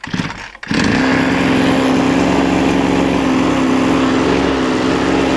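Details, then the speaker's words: Recovered 26.5cc two-stroke, fuel mixed with motorcycle oil, engine hot, after piston scratch filed down to restore compression: steady buzz with a rough, bubbly gargle underneath at low rpm; gargling noise at low revs, cause not yet clear. "I want you to hear the gargling noise when it's on low RPM"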